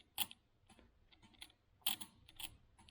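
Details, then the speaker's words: Austin Healey turn signal magnetic relays bench-tested on a battery instead of a charger. Two crisp clicks about 1.5 seconds apart with no buzz between them; each relay pulls down cleanly and works normally. "So let's try it with a battery. So we're going to ground one side and then give it some power. No buzzing, just pulls down and stops, like it"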